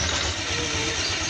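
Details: Honda Vario 125 scooter after a fix for rattling noise on throttle at the air filter and radiator cap, fixed with double-sided tape and rings or rubber: clean, even, smooth revving with no rattle or buzz; normal.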